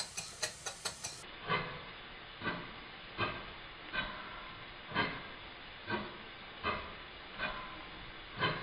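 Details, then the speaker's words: Stuart Twin Victoria miniature steam engine after rebuild, running in: slow exhaust chuffs about one per second, unevenly spaced due to tightness on the crankshaft; timing fine, expected to improve with more running. "amount of tank that's on the crankshaft and that makes the beach sound uneven this will improve with more running"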